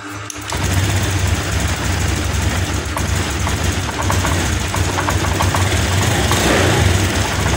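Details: Fuel-injected motorcycle with a new spark plug and a new non-original fuel injector, fuel pump normal: the engine runs but stumbles and hunts unevenly, still misfiring.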